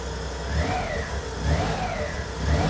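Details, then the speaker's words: Suzuki Cappuccino right after a plug-and-play aftermarket ECU install: small engine surging up and down about once a second, never settling; ignition suspected a bit too advanced, ECU possibly still adapting. "bit harder almost sounds like the ignition's advanced a little bit too much yeah try again it does sound different"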